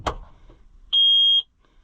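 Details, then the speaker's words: New Holland (Fiat-built) TN75DA tractor, engine running after shifting into third: steady repeating high-pitched beeps, each about half a second; parking brake warning because the brake was not set. "I didn't put the parking brake on. Is that what that was? That's what it was."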